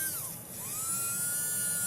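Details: Mantua Shifter tender motor after cleaning commutator and brushes; steady high electric whine with even pitch after a brief dip at spin-up, running smooth and healthy.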